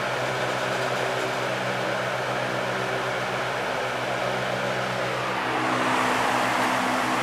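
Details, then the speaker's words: 1970s Lakewood HV18 fan, high-torque motor drawing more amps: strong steady hum with rushing air settling smoothly higher, no rubbing or rattle; startup torque shakes the fan with a clunk, but runs healthy. "this motor has a ton of torque it really does it shakes the whole fan you get like a clunking when it starts up that's how much torque it has"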